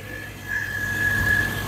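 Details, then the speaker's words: Vauxhall Chevette barn find, long-stored engine idling: steady high squeal rising over idle for about a second; drive belt slack and slipping, needs adjusting. "as you can hear there still got a bit of a squeal on that"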